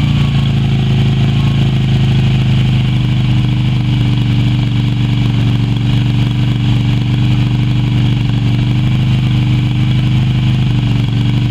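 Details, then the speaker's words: Yamaha Virago XV250 V-twin started after 6 years in storage, old tank fuel black, carb primed with squirted petrol; low steady idle with slightly uneven beat, no revving, left running to blow old fuel through. "now I'm just gonna give it a chance to run and blow over all the out of it so let's give it a start"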